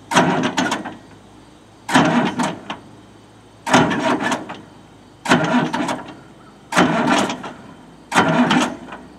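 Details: Detroit diesel-powered Pettibone Mercury forklift abandoned for years, on a weak jump pack, possibly needing a fuel filter: short cranking bursts about every two seconds that never catch; crank no start, cause not confirmed.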